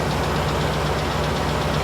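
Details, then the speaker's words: 1998 GMC Savana 5.7 V8, warm idle with slight revs, mic beside the wheel well: a light, even valve-train tick, possibly a lifter, keeping pace with the engine. Good oil pressure, no service engine light; tick better than before. "i can hear the tick it's definitely better than it has been so i'm hoping for the best"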